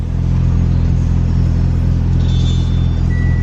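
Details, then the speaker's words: Turbo Mitsubishi Lancer idling evenly after fuel pump installation, before tuning; deep steady rumble with no misses or knocks, fires up just fine. "fires up just fine just let it run for a second"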